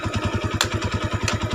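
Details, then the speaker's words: Honda Tiger 200cc single after cam chain replacement, idle with clutch pulled: quick, even putter with steady low pulses, no clatter, throttle smoother than before repair; normal idle. "Sonya kalau dipencet kopling halus banget dan digasnya juga lebih pulen enggak kayak sebelumnya nah ini kalau dipencet lebih halus banget"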